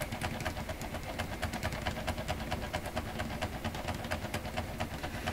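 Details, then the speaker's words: Electrohome Chippendale console, Webster record player, after gluing a new surface onto the intermediate idler wheel: steady thump about twice a second over the motor hum; suspected glued joint or hard glue spot, repair looks like a failure. "So we're either hearing the joint in the belt that I glued on, or there's a spot where I've got too much glue and it's putting a bit of a thump in it."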